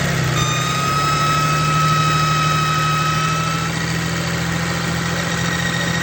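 Diesel idling evenly with a thin steady whistle riding high above the clatter; something is whining, but the source is unconfirmed.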